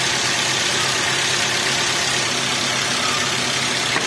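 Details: Toyota Avanza/Daihatsu Xenia engine hunting and lacking power: uneven, hissy rough idle with no steady rhythm; ignition (spark plugs, coils, wiring) and compression (valves, rings, bent rod, head gasket) are being checked, plugs tested one at a time.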